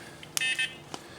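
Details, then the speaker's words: Quantum 4Front 1 power wheelchair being swapped to R-Net electronics, first power-on of the controller; a quick chirp, then a short high two-tone beep flagging a motor brake error, expected because the motors were not yet connected. "Okay, motor brake air. That is not unexpected because we do not have the motors connected."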